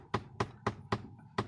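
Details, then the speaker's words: VW Polo with blower on after switching AC on: sharp hollow tak-tak taps about four a second from behind the dash, coming from the faulty flap motor (blend door actuator). "ये इधर एक flap का motor लगा रहता है, वो flap का motor से इसका आवाज़ आ रहा है।"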